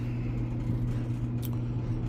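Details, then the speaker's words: Maytag Bravos XL dryer running after replacing the idler pulley at the back: steady low drum hum with no squeal or chirp; loud squeaking fixed, normal running. "So, I'mma um turn it on, no squeaking."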